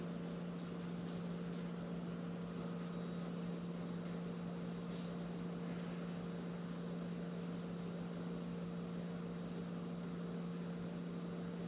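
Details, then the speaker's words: 2015 Jeep Grand Cherokee EcoDiesel, 130,000 miles, key-on after fuel filter change, key cycled repeatedly to prime before starting: steady, even low electric hum with nothing rough; fuel pump priming normally. "hopefully you can hear it run and then you can hear it click and it'll stop you won't hear a noise anymore"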